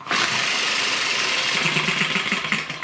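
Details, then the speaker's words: ET6 model hit and miss engine from Banggood, start attempt: spins over with quick mechanical clatter but never fires or kicks; no fire, owner still unconvinced about the HT lead, damaged lead causing no start. "no no fire do you know i'm still not convinced about this lead um it's weird in it i'd expect it even if it was running rich i'd expect it to fire kick and spur and complain"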